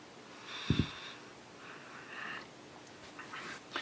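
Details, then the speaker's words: Monoprice 8-inch subwoofer with no music playing: soft, low breathing/chuffing puffs. Swapping to an Onix RCA pigtail cable did not help. "so let me turn it on for you sorry I'm trying to do this handheld well and then put it down and I'm gonna swing the camera around to the side now you hear you hear the breathing the chuffing right"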